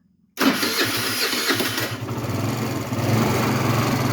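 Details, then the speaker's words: 50cc moped after battery replacement: starter spins about a second and a half, then the engine catches and settles into a steady buzzing idle; normal start, though it cut off once while cold. "Oh yeah. We running. Lights on."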